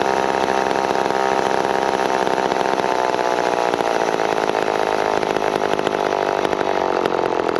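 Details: McCulloch Pro 10-10 Automatic chainsaw while cutting cookies off logs: constant high-pitched buzz held well above a normal tickover with no drop in speed; idle set too high, otherwise tuned well and oiling heavily.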